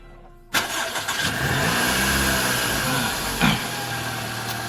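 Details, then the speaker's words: 2011 Toyota Vellfire (ANH20, 2AZ-FE) after balancer shaft replacement for rough-running noise worst when cold; cranks briefly, starts promptly and idles smooth and even with no knocking. "suaranya beda kan ini kalau suara balancer normal seperti ini ini sudah diganti [Musik] balancernya kedengarannya lebih halus ya"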